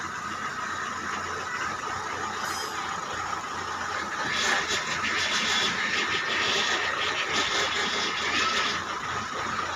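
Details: Indigo car, engine running, with a faint steady power steering whine that grows louder midway; cause unknown.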